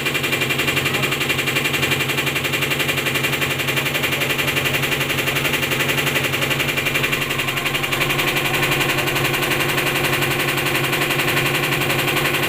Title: top top load washing machine noise problem